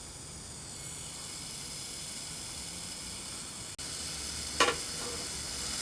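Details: Vintage RCA CTC16 round-tube television with a substitute flyback after damper replacement: steady hissing sizzle with a brief crackle, a smell noticed, high-voltage corona at the flyback close to arcing.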